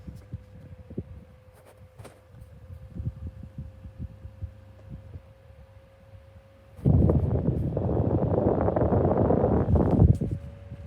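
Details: 2016 Argos 7-inch desk fan: a steady mid-pitch hum over uneven low throbbing and knocking, suspected bad motor bearings that are worse than before; not confirmed.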